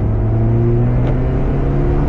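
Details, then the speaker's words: Porsche 968 CS with a new SCART valved exhaust, revving. It gives a deep, smooth, steady drone with zero rattles or buzzing, a clean exhaust note. "Ouais, il y a zéro bruit parasite. Zéro, rien."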